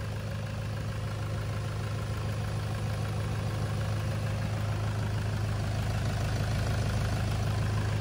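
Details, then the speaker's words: 2011 Toyota Hilux KUN26R with 3.0 1KD D4D diesel, manual, after replacing the alternator and drive belt; modified exhaust. Steady, even low diesel rumble at idle with the earlier alternator noise gone; running normally. "battery lights turn off that's good it's a good sign and the noise is gone noise gone is good yeah sounds like d4d now yeah it's quite quiet now that's normal noise already"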